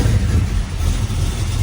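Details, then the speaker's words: Dodge Dart V8 after swapping a gummed-up Edelbrock carburetor for a 4150 double-pumper carb: fires right up, deep steady even rumble with no misses or hunting; normal, happier idle. "Fires right up. Listen to this thing. Idle so much happier. Hell, it sounds way snappier, too."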